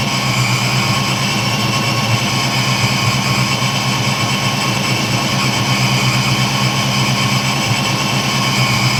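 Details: 1986-93 Mustang V8 idling with newly installed AFM-Vortech V3 Si supercharger: even steady idle with constant high supercharger whine, no misses or knocks.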